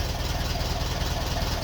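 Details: 1951 Ferguson tractor after thermostat housing replacement, at idle: steady, even low thump with a regular firing beat, no knocks or misses; well-running engine, no leaks.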